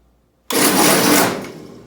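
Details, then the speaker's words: 1952 Ford 8N tractor, starter possibly 70 years old, cranking during ignition timing setup: sudden harsh grinding burst under a second, then dies away, barely turning over; owner suspects starter burned up or starter clutch, not confirmed. "Barely turning over. Something's grinding in that starter. I wonder if there's a starter clutch."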